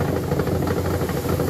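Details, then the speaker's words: LG washing machine, loud rough rumbling with fast uneven rattle during spin; gearbox bearings are crushed, gearbox needs replacement. "So kapag ganyan ang problema guys ng inyong washing machine, kailangan niyo guys palitan yung pinaka-gearbox. No gearbox guys ang problema niyan kapag ganyan siya no paingay niyan no. So kailangan palitan natin siya ng gearbox dahil yung mga bearing guys ng gearbox wala na durog na ito."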